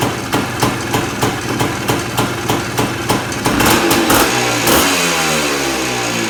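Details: 1979 Suzuki PE250 two-stroke just fitted with a new 38mm carburetor (old float stuck, leaked, hard starting), started on choke: crisp regular popping about three per second, then clean revs rising and settling; fires and pulls smoothly.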